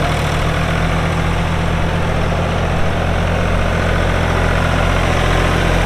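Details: 1999 New Holland TN65S 4WD diesel tractor, 8-speed hydraulic shuttle, NH 33LA loader, 4,162 hours: deep, steady diesel idle with constant low throb, no knocks or misses; hydraulics strong, engine sounds good — normal idle.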